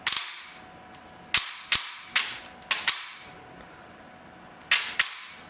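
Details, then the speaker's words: T238 brushless motor with new piston installed: only sharp piston slap cracks, no gear noise or motor whine; brushless motor runs more efficiently. "like i can barely barely hear anything but the piston slapping like i don't hear any gear noise or anything no wine from the motor nothing just the slap of the piston that's blowing my mind"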